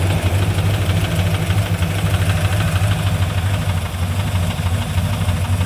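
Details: Engine with Comp Cams XR270HR camshaft at idle: choppy, lopey idle with a faint, uneven tapping over the low rumble; possible rod knock suspected, unconfirmed.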